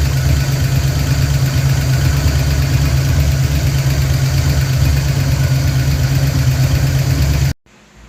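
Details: 1988 Ford Mustang GT V8, first start since 1999, slightly smoky, water temperature rising: rough, steady idle with a busy light clatter over the rumble, suspected misadjusted rockers rattling.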